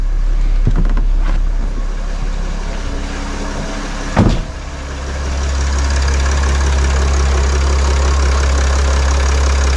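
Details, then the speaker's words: 2019 Mercedes Sprinter 3.0 L diesel after EGR valve replacement: low, even idle with steady rumble, one brief handling knock, no ticking, hiss or leak; quiet, fixed, normal idle. "So the engine is running, everything is quiet, everything sounds good."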